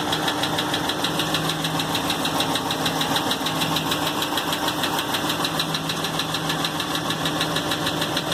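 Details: 2016 Hemi 6.4 V8 with 23k miles, idling a day after a dealer oil change: steady sharp knock about three beats a second over the engine hum. Fluids and gauges normal, no warning lights; the noise stopped after 24 hours.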